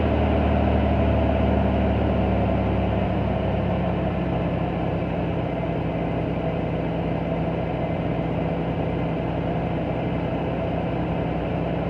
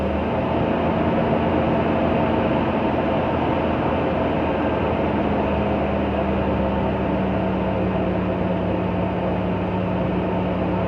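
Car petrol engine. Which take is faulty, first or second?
first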